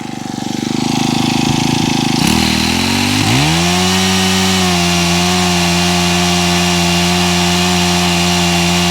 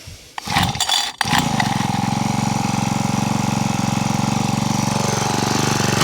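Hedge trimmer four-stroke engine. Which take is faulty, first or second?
second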